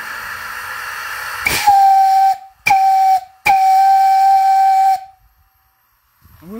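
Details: Three clean whistle blasts, one short and two long, over steam hiss from a 12-inch diameter, 3/8-inch steel fire-tube boiler with 100 lb pop-off valve; whistle sounds strong and healthy.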